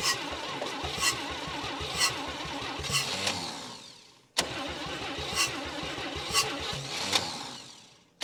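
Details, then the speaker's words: 1959 Chevy Biscayne 6-cylinder, once locked up after about 20 years stored, weak starter, day three: long cranking with a slow, labored churn about once a second, twice dying off, struggling to catch. Owner suspects the starter, charges the battery; he later says it also needs fresh fuel. "the starter just isn't isn't helping me here at all I'll charge the battery a little bit and see if that'll help it"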